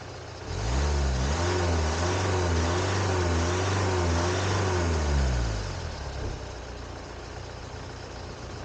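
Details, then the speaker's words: 1979 Ford Capri 3.0 Ghia Mk3 manual, first start attempt after about 20 years unrun: battery struggling, slow cranking, then a few uneven firing strokes that fade; owner suspects low voltage, battery boosted from another car. "You can hear the battery starting to struggle, and it's not cranking the engine so speed as it was. So I had the theory that it was a bit of a lack of voltage."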